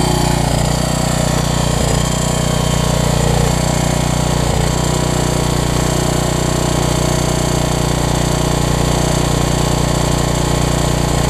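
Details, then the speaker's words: Troy-Bilt 550-watt generator, run on choke with a new coil; a small single-cylinder engine running steadily with a constant rough scraping rub, which the owner suspects is the shroud, not the engine; the rub later cleared. "it wouldn't surprise me to start right up that's some sort of shroud it's not the engine i hope not at least"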